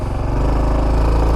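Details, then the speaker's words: 2021 Honda Trail 125 (CT125) with its front tire held against a rock and the brake on: steady mid-rev drone with a firm low exhaust beat, no clatter. The soft clutch slips while the rear wheel stays still until it breaks through, which is normal. "here that's what i mean that clutch is slipping because that rear wheel is not spinning"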